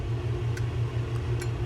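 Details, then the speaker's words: Penn 430SS fishing reel: steady reel whir with sharp irregular clicks as the spool occasionally bottoms out. A shim washer under the spool is suspected, not yet confirmed. "the problem with this one is it's every now and then it bottoms out right there you can see it it's bottoming out and you'll hear the click"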